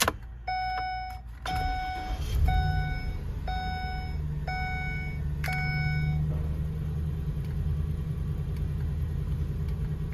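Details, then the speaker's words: 2012 Ford E-250, key turned: about six chimes with no starter crank (no-crank). Battery and starter are good, and it starts when the starter circuit is bypassed with the key on. Owner suspects the ignition key cylinder circuit. "You see, if I if I if I insert the key and I try to start it, it won't start no matter what because it's not getting look."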